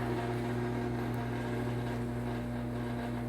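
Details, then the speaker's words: Home garage door opener in Hawaii runs but door won't open: steady low even motor drone with no load change; owner suspects a loose chain, not confirmed. "So look, it's not opening. It's just making that sound. What's been going on here?"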